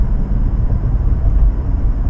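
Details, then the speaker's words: 2015-2016 Acura TLX at about 45 mph, GoPro mic: deep road drone with uneven low throb, louder under load, gone when jacked up; suspected wheel bearing, found to be a cupped, unevenly worn tire. "and this noise is only louder when you have load on it"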